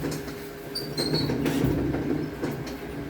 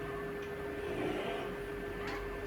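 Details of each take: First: Samsung large washer, latest model, harsh metal-on-metal scraping with high squeaks during wash and spin, coming from the motor underneath; a loose magnet rubbing inside the motor. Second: Samsung washer, 2 years 2 months old, after repair: soft, steady motor hum during the wash with none of the earlier metal-on-metal grinding from the motor area, after rust was cleaned off.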